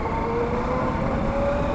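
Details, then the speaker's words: Motorcycle ridden on road, microphone inside helmet: wavering siren-like airplane drone rising and falling over engine and road noise; rider suspects the chain or something else, heading to mechanic. "I feel like this sound is coming from chain or other something."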